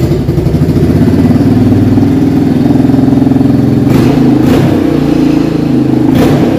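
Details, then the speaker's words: 1987 Yamaha Big Bear ATV started on full choke without a battery; loud, raspy exhaust through the revs with a tinny clatter because the spark arrestor inside the muffler is gone and rattling, booming like a shotgun on throttle. "it's completely rattling in there and it's loud i mean uh if you like something loud it sounds like a shotgun every time you hit the gas this is the bike for you"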